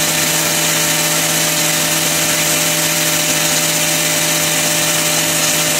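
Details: Grinder powered through a new inverter from a repaired wind turbine's batteries in freezing cold: a steady, even high-pitched whir at constant speed with only a light chain rattle behind it; it runs normally.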